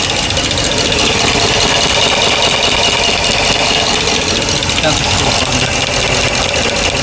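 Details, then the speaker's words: 2009 Dodge Ram 1500 4x4 5.7 Hemi, rebuilt engine, ticking since the rebuild: fast, light tick at engine speed over a busy idle with the valve cover off. It is loudest at the No. 1 left-side rocker, and the No. 1 intake lifter is suspected; no excess lash or guide play. "Sounds loudest on the front rocker arm."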